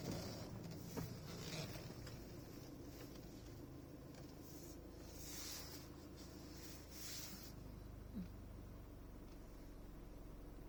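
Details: 2016 Toyota Prado VX: low engine drone with a faint, fast rattle that appears only under acceleration and stops on lifting off, like something loose under the hood; cause unknown, dealer could barely reproduce it.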